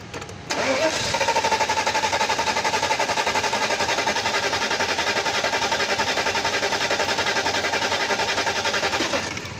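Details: Mercedes S500 (2000-2006 S-class) that won't start or starts then dies: starter grinds at an even churn for seconds but never catches; fuel pressure low, both fuel pumps failed.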